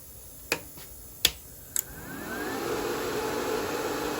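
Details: YESWELDER plasma cutter powering up after reattaching a pulled-off internal air hose that caused E5 no-air-pressure error: three sharp clicks, fan winds up to steady rush, no warning beeps; normal start, reads 57.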